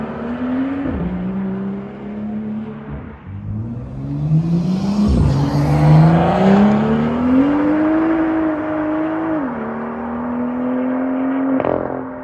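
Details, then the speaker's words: BMW M2 after one year of ownership, aftermarket end exhaust with valves opened by remote: deep, smooth note rising and falling with revs, no misses or rattles; healthy sporty exhaust. "so do i dislike my end performance exhausts absolutely not besides the fact that it looks amazing it sounds amazing take a listen to this"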